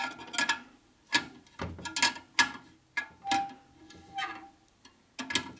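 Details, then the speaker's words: Harley 21in aluminum spool hub front wheel being laced and trued on a stand: intermittent heavy grinding/scraping with sharp clicks as the out-of-true rim catches the truing pointer; rim also hits low, so spokes need tightening to pull it up and over. "See, hear that different noise? So, grinding noise, that's this one. See, that hits pretty heavy on that?"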